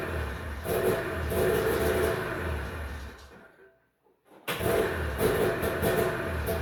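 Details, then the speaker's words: 1991 Arctic Cat Prowler 440 liquid-cooled two-stroke snowmobile, revived after 4 years of storage: runs raggedly, dies to silence, then fires again. A spring-loaded throttle safety switch cuts the ignition; it runs fine with the switch held closed and dies when released. "there's a spring switch in here and when I'm holding this switch closed the thing runs just fine the Spring's back and the thing is just dying here"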